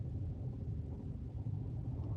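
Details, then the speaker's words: Renault Captur 1.0 TCe three-cylinder turbo running on LPG, pulling away in first gear: low, steady rumble with no knocks or ticks, very quiet; normal healthy running. "che sia abbastanza silenziosa Anzi secondo me è silenziosissima"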